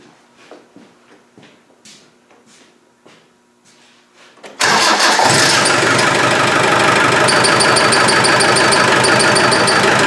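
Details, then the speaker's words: Land Rover 300Tdi diesel, with coolant drained and radiator being removed, starts and idles with a sharp, high chirp about three times a second. It persists after rust-proofing spray on the belt and pulley, and the source is not yet pinpointed. "well this is odd it still squeaks I put some Crown Rust Proof in on the belt and the pulley and it still squeaks"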